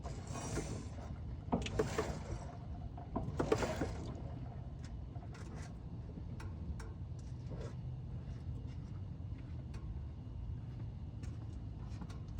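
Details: 2006 Acura Type S: a few harsh scraping groans from the steering in the first four seconds, then quiet running; something in the steering binding or rubbing, cause unknown.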